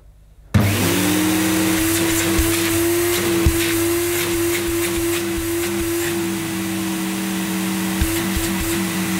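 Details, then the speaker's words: 1987 Electrolux Elite Super Electronic vacuum cleaner started at 1000 watts; motor spins up to a steady hum with a rough, fluttering growl underneath that the owner thinks is not normal, cause unclear. "but that motor doesn't sound right i have no idea what they should sound like having never owned one but pretty sure that that's not normal"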